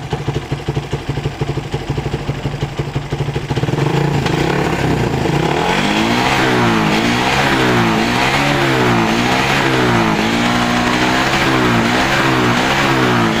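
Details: Suzuki Satria FU 150cc after tightening loose ignition coil cable socket that caused stumbling on throttle: engine picks up cleanly, rising and falling smoothly through repeated blips, no misfire; fixed.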